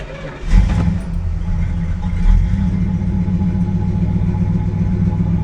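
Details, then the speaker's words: 1967 Plymouth, factory original 318 V8 with 727 transmission, sat for years, battery from 2009 holding charge after a week: brief crank, fires within half a second, small rev, then steady even low idle rumble; starts fine. "the battery that's been in it that I bought I guess in 09 is took a charge and uh seems to be maintaining a charge cuz it's been sitting a week and it's still cranking it over that's good"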